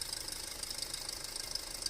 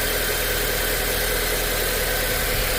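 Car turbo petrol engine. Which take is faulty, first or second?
first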